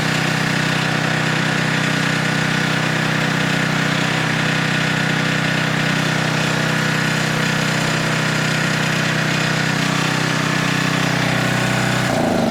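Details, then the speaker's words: Older 10 hp Tecumseh 4,000 W generator under a 1,500 W load at about 62.4 Hz: steady, unchanging drone with no sag or hunting. Governor holds speed well; normal governed run under load. "It's running smooth. Usually, it'll dip down a little. It did not budge one bit."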